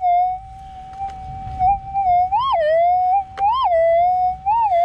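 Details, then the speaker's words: Minelab GPX 5000 metal detector with gain turned all the way up to 17, sweeping over a target: a wavering whistle rises and falls with each sweep over a rough hiss; it won't ground balance well and the noisy threshold drowns the target. "I just put it all the way up to 17 so you can hear immediately doesn't want a ground balance terribly well quite quite noisy as we detect"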